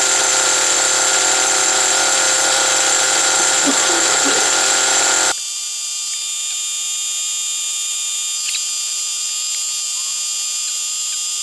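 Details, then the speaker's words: Original first-generation HPI Nitro Rush nitro RC car started after many years sitting, run about five minutes to burn off old fuel left in the tank: high, steady buzzing scream at even pitch, no sputtering or cutting out; running cleanly. Exhaust leaks noted. "I had that running for probably must have been a good five minutes um just trying to run a little nice little bit of fuel out there that was in that tank um and uh it was running really well actually"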